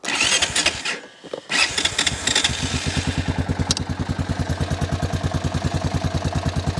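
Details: Honda Foreman 450 ES 4x4 ATV single-cylinder started unchoked, running on old gas with oil present: starter cranks briefly, engine catches and settles into steady even idle, no knocking.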